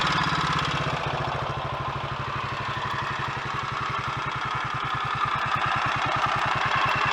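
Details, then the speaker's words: Royal Enfield Electra X single-cylinder after full engine rebuild (new conrod, big end, piston) and timing gear noises addressed, warming up: steady, even thump at a settled idle without rattles or knocking, normal idle. "i think that all sounds a lot better and good to go to me"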